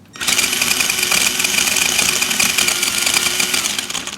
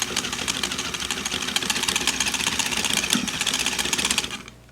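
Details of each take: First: Axial SCX10 Dingo RC crawler under power: high motor whine with fast, uneven rattling chatter as the axle jumps, driveshaft tabs aligned per manual. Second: Axial SCX10 Dingo RC crawler after realigning the large driveshaft pins, which fixed the front axle chatter (the rear still chatters): a steady high buzz of motor and gears running evenly without clicking, then stopping.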